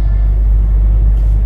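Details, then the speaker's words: Skoda Yeti 2.0 TDI diesel, 2012, about 150,000 km, driving after replacing a badly worn wheel bearing: low, even road rumble with no droning or growl rising with speed; new wheel bearing quiet and healthy. "to jest Cichutko No mówię łożysko było w opłakanym stanie to widzieliście to wszystko latało niesamowicie"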